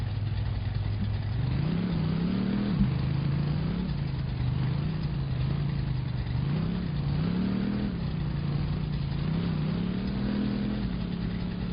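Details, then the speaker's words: Straight-six engine in a newly bought cheap B200 truck project: smooth, even hum rising and falling cleanly as the driver works the throttle through the gears, no ticks or misses; healthy running. "Listen to that straight six purr."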